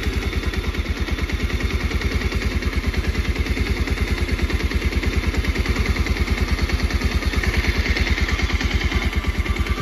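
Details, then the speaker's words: Bajaj Pulsar 125 BS6 that kept stalling with P2109 throttle position sensor fault, after repair: crisp, evenly spaced exhaust pulses at steady 1100 rpm idle, no dips or stumbles; normal idle, fault cleared. "Live BM data ठीक से 1100 की RPM में ए चुकी है अब पहले से RPM यानी की बाढ़ गया यह बाइक बन भी नहीं होगी और इसमें कोई कॉल्ड भी नहीं रहा कोई इशू नहीं रहा"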